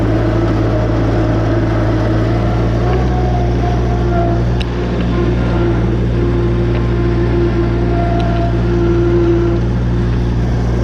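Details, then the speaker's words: Woods 6215 mower with Kubota three-cylinder diesel, after spindle bearing, U-joint and belt replacement, deck and blades refitted: constant diesel drone with steady deck whir, no knocks or grinding; repaired and running smoothly. "well that's all we got to show for this episode folks this woods mower is fixed hopefully the customer doesn't blow it the [ __ ] up this time no guarantees though see ya"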